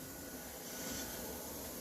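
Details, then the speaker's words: Sound system with no music playing: steady hissing, frying noise from the speakers, caused by mixer gain turned up too high. "i'm gonna put that hissing back let me put my gain back up and get all that frying back in there all that good frying all right"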